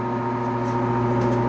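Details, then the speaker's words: 1966 Admiral Royal 106 air conditioner, restored, on fan only: loud steady electrical hum from the fan motor, which hums with or without the capacitor but self-starts only with the capacitor jumper; owner fears it was damaged by getting very hot. "does that with or without the capacitor hook but the only difference is when I put that jumper in for the capacitor it starts up on its own"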